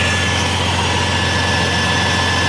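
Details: Bentley W12 engine at idle: low steady even-pitch hum, no knocks, rattles or belt chatter; the earlier rattle is gone, a clean healthy idle.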